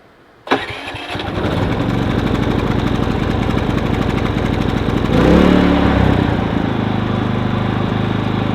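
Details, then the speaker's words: New Harbor Freight Predator inverter generator, manufactured March 2020, first start with choke on start position and eco mode off; push-button start, catches at once and settles into a steady, even, quiet hum. "When you go to start it, you want to make sure that the eco mode's off. And all you do is hit the starting button."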